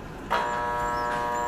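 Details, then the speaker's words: Water pump motor plugged in hums steadily but won't turn; the cause was a failed capacitor. "hang ganito mga kaibigan yan umuugong lang siya hindi umiikot y ganyan"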